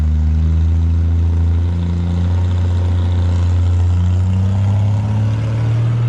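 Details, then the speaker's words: 1975 Plymouth Duster Slant 6 after carburetor cleaning/rebuild and temporary exhaust with cherry bomb style muffler: deep, steady idle, even low rumble with no misses, knocks or ticks; normal idle. "Don't sound too bad. I think it sounds cool."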